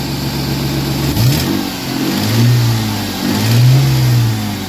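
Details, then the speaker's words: Ford Mustang 40th Edition at a Copart walkaround, not warmed up, given a couple of revs: deep even note swells cleanly and settles; possibly an aftermarket cam, some small oil leaks noted; healthy revving. "i don't know they might have put a cam in here too huh she sounds good she sounds good i gotta hear that one more time sounds like somebody might have put a cam in it"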